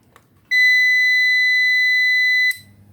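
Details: Grand Power Backup UPS, about 700 W with 24 V battery system, being tested; single steady high beep lasting about two seconds at switch-on, then quiet hum; the UPS powers up normally.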